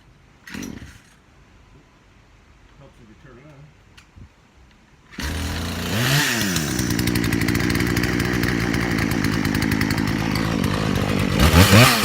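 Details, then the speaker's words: Poulan/Craftsman 18-inch 42 cc chainsaw after no-start repair (old fuel drained, spark plug, chain rakers filed): starts, blips and holds a strong even high-revving buzz; normal running. "so he's got a good running saw now"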